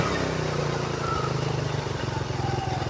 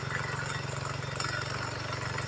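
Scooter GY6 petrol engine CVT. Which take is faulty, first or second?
second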